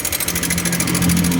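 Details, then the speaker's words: Honda Click 125i LED (2017–18) scooter engine running: fast even metallic ticking, louder when revved, traced to the cam chain tensioner, which is being removed to check. "ครับก็จะดังมาจากไอ้ตัวตัวนี้นะครับผมตัวปรับความตึงโซ่เดี๋ยวเรามาถอดดูกันนะครับว่ามันเสียหรือเปล่านะครับ"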